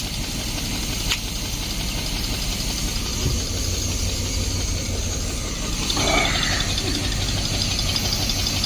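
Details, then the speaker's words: 1972 Barth motorhome first run in 15 years, after charging battery and filling carburetor with electric fuel pump, fuel filter leaking: steady, slightly uneven low idle holding on its own with a brief chirp; running unassisted. "I'm gonna try and get her going again here there we go idling on her own I just literally turned the key"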